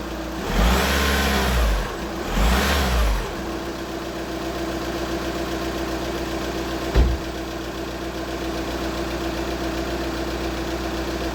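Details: VW Scirocco 2.0 TDI diesel, first startup after water pump and timing belt kit replacement: two clean revs rising and falling smoothly, then a steady, even idle with no knock or rattle; running properly.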